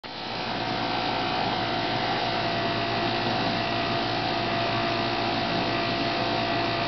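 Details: Whirlpool dishwasher running with steady whirring hum and thin constant whine near 700 Hz; owner suspects something caught in the grinder, cause unclear.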